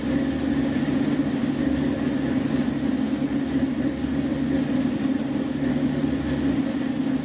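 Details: 1976 Dodge Dart idling after mixture screws were turned down on a freshly rebuilt Edelbrock carburetor (replacing a 780 vacuum-secondary Holley); steady low idle with slight lumpy lope from a mild cam, otherwise even; running fine.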